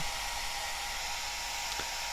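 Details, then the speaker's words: Cascade DS-925 hair dryer after repairing a no-heat fault (broken heating element connection crimped), cool button held, temperature dropping. Even, steady airy rush with faint constant hum, no rattles or speed changes; fan running smoothly on cool. "going down so that's with the cool button held in and that feels cold coming out"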